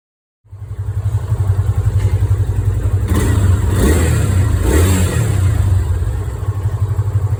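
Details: Yamaha Fazer 250, new noise in the engine: it catches and settles into a lumpy, pulsing idle with a faint clatter under the revs; unexplained engine noise, cause unknown.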